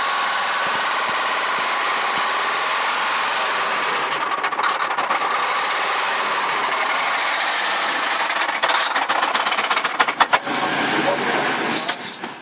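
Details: Nissan Cefiro VQ20 engine running with a harsh mechanical clatter over the idle plus a few sharp clicks; internal engine knock judged beyond repair, engine should be replaced.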